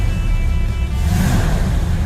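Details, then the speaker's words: 1956 Chevy Bel Air 4-door, rebuilt carburetor, still cold on partial choke; throttle blips swell deep rumble quickly and settle, crisp and much more responsive than before. Normal throttle response. "oh, she sounds really so much better. So much more responsive. This is nice. This is great."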